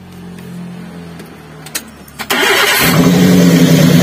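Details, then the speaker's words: Daihatsu Gran Max with a limping, low-power engine, started for the coil check: lifting the cylinder 4 coil gives no spark sound while cylinder 3 sparks. Cranks, catches and settles into a lumpy, stumbling idle, a misfire from a dead ignition coil. "Kami jelaskan untuk kawan-kawan yang ingin tahu cara mengecek atau menentukan penyakit di mobil Grand Max yang mengalami pincang seperti ini"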